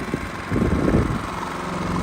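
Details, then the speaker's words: Genmax GM7500 iAED dual-fuel inverter generator on low idle, pretty quiet. Steady, even drone, no misses, knocks or surging; normal idle. "But you can see on this side, the Genmax is coming in at 66 to 68. So not too bad. You can see it's pretty quiet."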